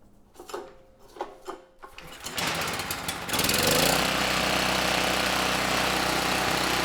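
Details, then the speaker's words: Campbell Hausfeld GN503100AC 5000 W generator, 9 hp Briggs Vanguard, choke on: cranks, catches and settles into heavy, slightly uneven chug; engine itself sounds good but clone 715670 carburetor runs it way too rich, unsuitable. "uh the carburetor not running the engine so well it's running the engine way too rich so that carb is I think ultimately going to get returned it is not suitable for this machine"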